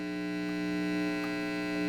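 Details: Fender Custom '68 hybrid tube/solid-state guitar amp after repair, heater grid fixed and speaker reconnected, volume down: steady low electrical hum with a buzzy edge, constant and even; the amp is powered and working again.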